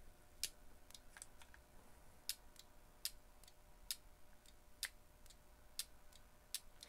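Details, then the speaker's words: Honda transmission solenoid, grounded through the case, bench-tested with 12 V from a power probe; sharp crisp clicks about once a second each time power is applied on a quiet bench, switching normally. "you can hear clicking. I'm sorry if you can't, but I can hear it."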